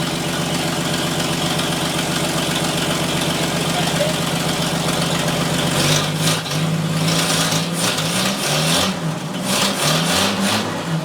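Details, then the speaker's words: 1947 Chevrolet Fleetline engine, first run after new plugs, wires, cap, rotor, points, condenser, coil and starter, little coolant: steady low idle, even firing, brief catch near six seconds then settles; normal idle. "That sounds good. Dude, that runs good! Woo! That is smooth, boy."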